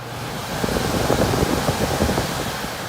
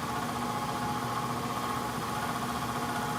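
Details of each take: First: ICP Heil heat pump air handler after blower motor replacement, old blower wheel cleaned rather than replaced: airflow swells as the fan starts, then settles into a smooth, even rush with no rubbing or rattle; normal blower operation. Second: ICP/Heil heat pump air handler, complaint of noise from the air handler: blower motor runs with a rough buzzing vibration and uneven hum, diagnosed by sound as a failing motor needing replacement.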